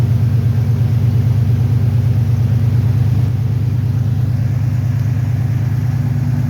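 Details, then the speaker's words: 1993 Ford Bronco after replacing a seized smog (air) pump that made the belt squeal, belt rerouted clear of the tensioner: deep, steady rumble with an even pulse and no squeal, rattle or knock; engine sounds healthy, normal running. "N be all right. Sounds way better. About looks good. Awesome."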